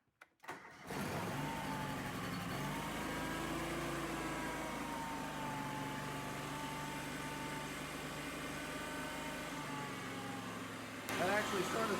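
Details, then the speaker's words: Kawasaki FD620D gasoline engine in a Toro Wheel Horse 520Lxi after replacing a faulty ignition coil: starts within a second and settles to a smooth, even idle with little vibration, no misses or knocks. "it sounded smooth it didn't really vibrate too much"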